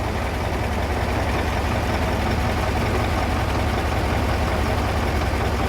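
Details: KAMAZ crane truck: dense, steady low drone with a faint uneven metallic knock under two per second inside the gearbox (reduction gear); gearbox knocking suspected, not confirmed.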